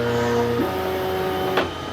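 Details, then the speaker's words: New Anycubic Kobra S1 Combo 3D printer at first setup, before heating up and feeding filament for a test print: steady motor whines that hold, then jump pitch as the axes step through the probing moves; normal bed leveling check. "It's doing kind of a bed level check right now. This is"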